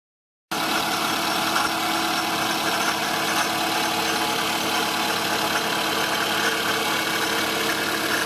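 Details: Toyota Estima ACR30 engine at idle: a fine, busy metallic shaka-shaka rattle, much louder with revs; failed AC compressor leaking oil, pulley and tensioner noisy; replacing it with a rebuilt compressor fixed it.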